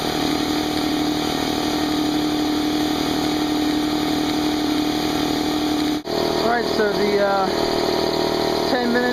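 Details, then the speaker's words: Brand-new Harbor Freight Central Pneumatic 68127 29-gallon 150 psi 2 hp dual-piston compressor near end of unloaded 10-minute break-in, tank drain open, still cool; steady even pump chug with faint whine, no knocking or rattles; normal running. "all plugged in let's turn it on it's actually pretty quiet we'll let it run for 10 minutes and uh see what happens"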